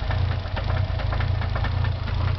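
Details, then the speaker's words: Nissan 300ZX twin turbo at idle: rapid, fairly regular knocking over a low idle, possibly a bearing, with the engine hesitating and barely staying running. "You can clearly hear it's could be a bearing."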